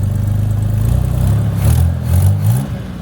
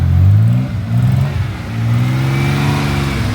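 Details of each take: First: Forgotten 1983 Chevy Camaro, abandoned 15 years, running after vacuum leaks were fixed, being driven to test the clutch: low uneven engine note pulsing with revs, with a raspy puffing edge on each pull from exhaust leaks. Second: 1983 Chevy Camaro abandoned 15 years, running after chewed wiring was rigged and an exhaust leak fixed. Engine blips up and down cleanly with a smooth, even exhaust note, no puffing or ticking. Normal running.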